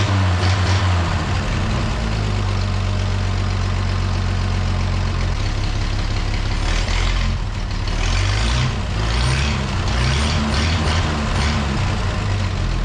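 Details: The Rockabilly Rat, an old truck engine, idles low and rumbling after spark and timing work, running fairly steadily on its own with no knocks or misses standing out.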